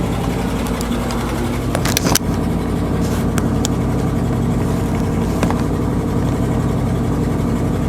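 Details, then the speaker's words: 1979 Dodge 100 truck after choke fix, cold start: steady fast high idle on choke, no stumbling or surging, left about 30 seconds before dropping out of high idle; previously stalled right after starting. "Alright, give it about 30 seconds. So let's take it out of high idle."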